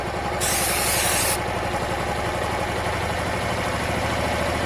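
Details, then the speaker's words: Honda Varadero 125 at idle, sprayed on the other-side intake seal. A hiss burst, then the steady single-cylinder note shifts, so air is leaking past that seal. "Okay, so air's definitely going through there at this stage."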